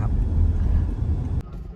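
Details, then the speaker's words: Toyota Altis CNG on gas after injector cleaning and replacing failed injectors 1 and 2 plus gas ECU unlock: steady deep rumble, revs normal, no shaking or stumbling; previously shook and stalled on gas with gas box beeping. "ครับตอนนี้ก็วิ่งนิ่งแล้วนะเหยียบนิ่งๆแล้วรอบมาตามปกติอาการสั่นสะดุดไม่มีก็ขอบคุณลูกค้าจากตลิ่งชันนะครับขอบคุณ"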